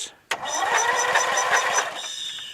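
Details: Briggs & Stratton 13.5 hp flathead lawn tractor engine after removing a mouse nest: starter turns it over in a slow, labored chuff-chuff rhythm that fades without firing, though spark confirmed; slow cranking.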